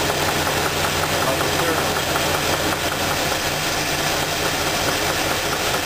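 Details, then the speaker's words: Petrol engine at idle with a dull, even knock. The knock stops when cylinder two's spark plug wire is pulled, and a valve lifter was also checked. Teardown confirmed a spun cylinder-two rod bearing and a rough crankshaft. "now that we determined that the knocking noise is coming on number two cylinder"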